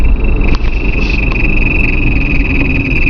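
Loud vehicle rumble under a steady high-pitched squeal held throughout, coming from the gearbox area; the cause isn't clear.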